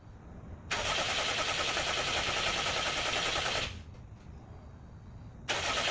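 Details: Subaru Brat with WRX engine swap, long unstarted, number 3 spark plug found wet: two bursts of rapid, even starter cranking around four beats a second with no catch or firing; cranks but won't start, cause unknown.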